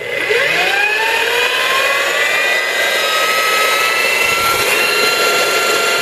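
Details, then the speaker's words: Milwaukee 4208-1 electromagnetic drill press, apparently unused, magnet on, running forward under variable speed control: smooth motor whine rises cleanly as the speed dial is turned up, then holds steady and even with no roughness. Healthy, normal running. "So you hit your magnet, turn it on, red button comes on, hit the forward, it's a variable speed control."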